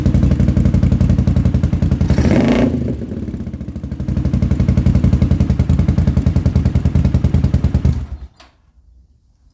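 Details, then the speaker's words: 1980-era (40-year-old) Honda GL500 motorcycle just revived after restoring old carb float needles; fast lumpy idle, a throttle blip, then it dies. Running rough; owner suspects pod air filters and has ordered new carb jets. "I've ordered new jets for the carbs because it's not running quite right and I believe it's because I've got the Pod air filters on there"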